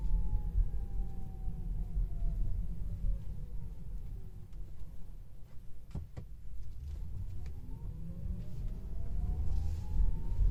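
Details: Tesla Model 3 Long Range AWD Performance, a few weeks after purchase: a loud whine that climbs with speed under acceleration and falls during regen. It occurs in both sport and chill modes and with regen set low; recorded with AC and music off. Cause unknown.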